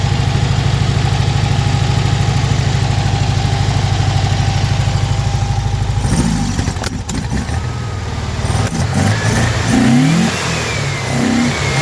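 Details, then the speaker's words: Car with Weber IDF 40 carbs clogged by ethanol fuel, new fuel pump not delivering enough fuel, started by pouring gas in: lumpy idle, sharp pops breaking through when blipped, spitting back through carbs; owner suspects too lean. "But listen to this. So you can hear that popping. It's like it's either too lean or something."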